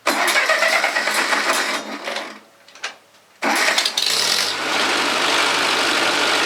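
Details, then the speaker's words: Ferguson TO-30 tractor after 25-hour post-rebuild head bolt re-torque and valve lash adjustment: cranks, brief stumble, then even running with the earlier valve tick gone; sputters slightly on throttle, judged a little lean, mixture screw turned 1/8. Normal running. "Okay guys, so it sounds like it runs a lot better. I don't hear that tick that I had, and you'll notice when I hit the throttle, it sputtered a little bit."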